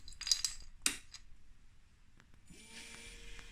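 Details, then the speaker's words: 2020 Energica Ego electric motorcycle after water pump replacement and coolant system bleed, at key-on; a few metallic clinks, then a steady low hum with faint hiss; coolant pump running normally, no dash errors. "That's the pump. No errors on the dash. Looks good."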